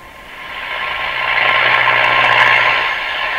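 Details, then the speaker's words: Northern Electric 5300 five-tube radio playing a station: harsh, gritty, distorted audio. The scope waveform reaches halfway up but runs off the screen at the bottom, which suggests an output-stage biasing problem. "so in fact yeah I just coming up about half way but it's going right off the screen at the bottom that's pretty imbalanced that suggests a biasing problem in the radio"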